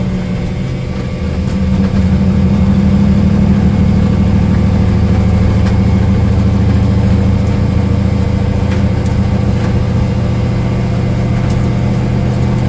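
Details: Corvette engine misfiring at idle: steady low idle with an uneven beat stumbling about three times a second; cause not pinned down.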